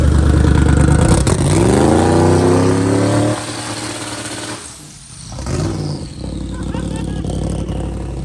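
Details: Freshly started turbo Honda K-series race car engine; catches, revs climb cleanly, settles to even idle; sounds really good, healthy and strong.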